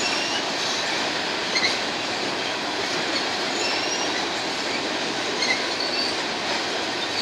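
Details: BNSF empty grain train at sunset, headed to North Dakota for reload, led by two GE locomotives: hissing rumble of passing cars with brief faint high-pitched squeals coming and going; some wheels squealing on the rail.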